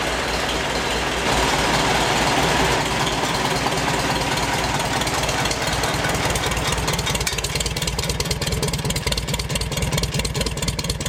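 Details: 1952 Farmall Super C tractor with 2-point fast hitch, started in a shop at about 75°F: cranks and catches quickly, then an even, steady putter about two beats a second at idle; healthy engine.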